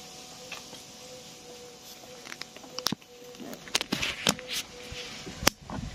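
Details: Peugeot 308 CC 1.6 THP (EP6) after coolant drain and refill with about 4.5 litres, phone held near the auxiliary coolant pump: faint steady hum under handling knocks, electric pump whirring evenly; normal operation.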